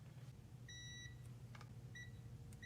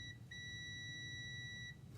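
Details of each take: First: Mazda RX-8, six-speed manual, P0850 neutral switch code with cold-start surging idle: meter continuity beep cuts in and out in four uneven bursts after sanding corrosion, showing poor, dirty connector pin contact; partial fix, more cleaning and dielectric grease. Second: Mazda RX-8 six-speed manual, P0850 neutral switch code and cold-start surging idle: multimeter across the transmission switch connector in reverse gives a short blip then a steady high beep, showing continuity; reverse switch working.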